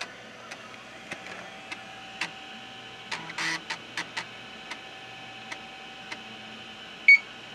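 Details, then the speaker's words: IBM PS/2 Model 30 (8086, 8MHz) booting the Model 30 diagnostics floppy: heads ticking every half second with a brief rattle burst, then one short high beep; diagnostics disk boots normally. "okay so it's working and that definitely is the beep of the diagnostics diskette that's for sure"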